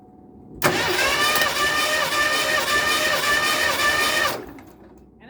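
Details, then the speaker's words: 1986 Ford Mustang with a 302 V8, compression test before installing a new distributor: even cranking at about 170 beats a minute with no firing; cylinders read about 110–115 psi, uniformly low compression. "like it fell that's okay as long as it didn't pop off ah there it is yep we're out of boat again 115-ish 110 115"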